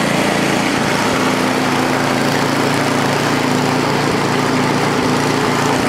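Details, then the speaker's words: Ariens ST824 8hp single-cylinder snowblower with bad wheel bearings/bushings, gassed, primed, choke on, throttle stuck at mid-range: starts right away and runs an even steady beat with no misses or surging. "well started right up think you love it right away"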